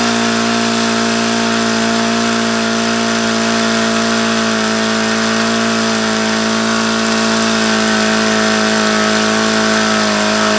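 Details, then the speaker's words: HP VT 21 rotary-valve four-stroke model engine on Omega control-line fuel: steady high-pitched buzz held at a fast constant speed, never dropping back. It will not idle down despite leaning the low-speed needle and trying several plugs. "I took this out yesterday and I started trying to run it and again it just will not idle down and run at idle"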